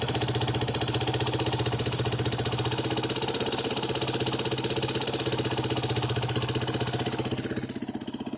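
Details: Yamaha Serow 225 with auction-bought XT225 1KH/1RF engine swapped in, running XT225 3RW1 CDI, at idle: sharp, regular ticking about four per second, fading as the engine settles; abnormal noise, cause not found.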